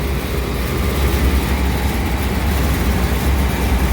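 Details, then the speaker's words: Walk-in cooler scroll compressor, breaker had tripped, start and run capacitors and crankcase heater test good: steady deep hum drawing current but no pumping, motor turns but not the scrolls, internal failure; scroll compressor not pumping. "well the compressor is not hot but it's not pumping refrigerant nothing's happening we're gonna turn it off more than and we're pulling current so the motor's moving but it's not moving the scrolls something's happened inside"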